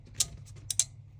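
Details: Jeep J20 truck during rebuild, rewiring electrical and checking grounds: a few sharp light irregular clicks, suspected from a loose or faulty connection, not confirmed; the truck had unexpectedly cranked over; intermittent clicking.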